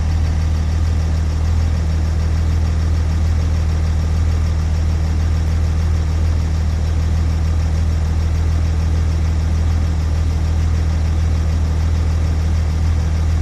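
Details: 6.7 diesel rough idle: deep, heavy rumble with a steady pulsing throb about three beats a second, uneven, cause not evident.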